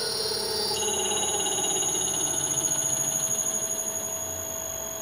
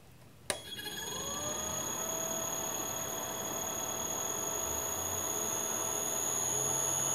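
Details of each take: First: Leeson 1800 RPM D80 lathe motor on Teco-Westinghouse L510 1HP VFD in V/f mode; steady drive whine with rough pulsing wobble about twice a second at mid-range, motor shaking and noisy, smoothing out at 60 Hz. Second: Leeson 1800 RPM D80 lathe motor on Teco-Westinghouse L510 1HP VFD after switching to sensorless vector mode; spins up quietly and evenly, mid-range shaking gone, thin steady high drive whistle on top.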